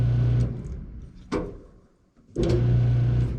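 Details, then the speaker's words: GE dryer that won't start or spin: steady low electric motor hum in short bursts with no drum rotation sound; motor hums but drum doesn't turn, drum drive belt suspected. "you can hear that motor humming but the tub isn't turning"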